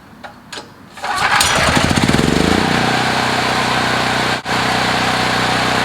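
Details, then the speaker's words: Generac portable generator, several years old, hot restart after running about 15 minutes, choke in: one short pull catches within a second, then steady even run; easy warm start, normal running. "okay was running for about 15 minutes definitely good hot we just shut it off chokes in feels on I'm gonna turn it on and start it"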